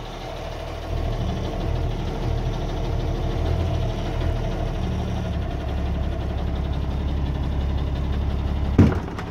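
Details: 1989 Ford Cargo diesel truck, first start after sitting one month, fired right up while checking battery; steady even low diesel rumble at idle, no knocks or misses; idling cleanly.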